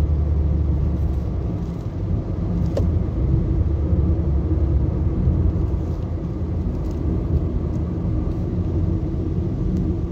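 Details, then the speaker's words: Nissan Sentra at 131,860 km, road test after repairing a cylinder 2 misfire (P0302) that had made it jerk: steady, low road-and-engine rumble, even throughout with no jerks or stumbles; runs cleanly without misfire. "Check natin kung kakadyot pa siya o hindi na siya kumadyot-kadyot ngayon"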